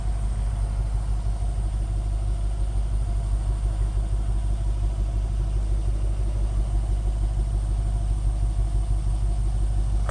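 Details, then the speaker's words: 2008 Range Rover HSE, back running after sitting 7+ years, fresh oil change: deep, steady exhaust burble at idle with even pulses, no miss or rattle, recorded at the exhaust; healthy normal idle. "she sounds good I mean the car sounds good I'll get you down here to the exhaust"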